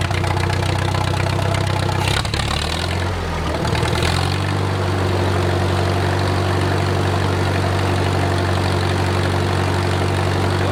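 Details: Wartime H tractor, last run around the 80s or 90s, at full operating temperature: a low, even idle that holds steady after a brief wobble, with no knocking or misses and great oil pressure; a normal idle.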